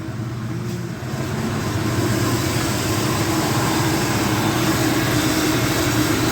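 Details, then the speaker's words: Normal idle of a 1976 Dodge D100 slant six after a new exhaust was fitted: even, steady six-cylinder idle with a smooth low throb, no puffing or ticking from exhaust joints; no bad leaks heard. "yep sounds like an engine I don't hear any bad leaks or anything so I think we're in good"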